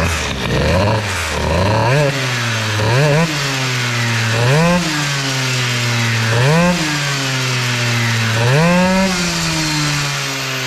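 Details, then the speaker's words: Peugeot 103 moped two-stroke with UltraBOOST2 cylinder head, first tests, around 50 degrees and slow to warm: idles with five quick throttle blips that fall back cleanly, but the idle mixture runs very rich. "Mais je suis gras comme un cochon au ralenti."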